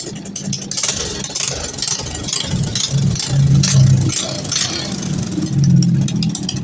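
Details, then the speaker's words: Honda Karisma/Supra X 125 single-cylinder with a stalling-while-riding complaint, on stock CDI: uneven raspy puffing chuff at idle from an exhaust leak, loose header bolts with missing gasket, to be refitted; engine otherwise runs normally. "Mohon maaf untuk di bagian knalpotnya DII bocor ya jadi suaranya agak"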